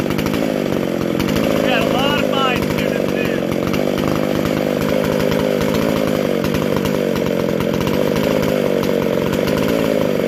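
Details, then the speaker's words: Vintage McCulloch SP125 two-stroke chainsaw with 36 inch bar, after fixing a large carb-to-intake gap and loose throttle linkage; steady high-pitched scream, clean and even on throttle with no stumble or bog; normal revving. "Man, that feels just like the race saw when you hit that throttle. Just snappy."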